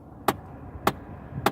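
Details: 2009 Chevy Impala LT with the air conditioning switched on: three sharp, hard knocks about 0.6 s apart over a quiet cabin; repetitive AC-related knocking, cause unknown to owner.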